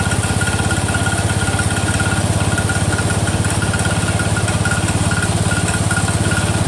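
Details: Cub Cadet 102, freshly rebuilt Kohler single-cylinder: steady idle with light click on each beat, about three a second; front pulley coming apart, not a loose rod.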